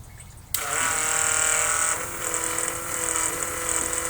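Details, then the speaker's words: Holley Blue electric fuel pump, previously thought dead, working after disassembly and reassembly; steady sharp high-pitched whine over light buzz while pumping a decent stream through the hose; pump running normally. "a pretty decent stream coming out of the out of the hose there you can hear the pump running I'm pretty happy about this"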